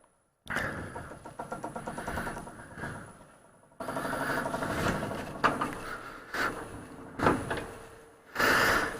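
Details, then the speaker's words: Woodturning lathe spinning a low profile hollow form blank: a repeating clunk once per turn as the blank, mounted off true center where the live center sat in resin, runs out of balance and shakes. "so this out of balance is going to make everything shake so unfortunately we've got to jump in here and fix that just enough at least"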